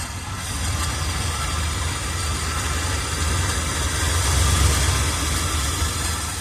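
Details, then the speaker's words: 1978 Chevrolet Custom Deluxe truck, engine freed from being stuck after sitting for years, carburetor had water in bowl: low uneven lope about three to four beats a second, wavering strength; not idling great, cause unconfirmed. Rough idle. "So the engine was originally stuck. We got that unstuck. We managed to get it to start and run. It's not idling great,"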